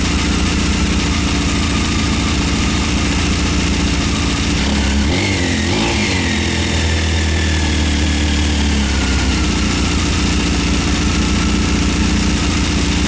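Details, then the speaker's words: 1998 Honda CBR after carb rebuild, new spark plugs and K&N air filter: starts with uneven idle, but on a throttle blip the revs stumble and sag and it chokes out; owner suspects a vacuum issue, unconfirmed. "the bike runs it starts just when you do the throttle blip it just chokes out"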